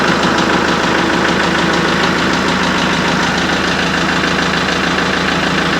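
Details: Kubota MX5200 HST diesel after fuel filter and water separator service and air purge, vent plug closed: settles into an even clattering idle with a steady rhythm and no stumbling or surging; fuel system clear of air.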